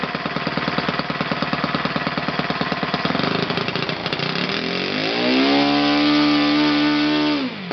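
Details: OS FS 120 PreSurpass four-stroke glow engine, bought used on eBay, test-run on a stand on 16% nitro fuel with a 16x6 prop. Rapid even firing drops smoothly to a slow, steady, clean idle with no stumbling: normal low idle.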